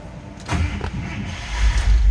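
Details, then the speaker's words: 1956 Buick Special Estate Wagon Model 49, 322 Fireball V8 with Dynaflow automatic, aftermarket push-button start: brief crank, then a deep, even V8 rumble catches quickly and settles; normal start. "push the start button fires right up"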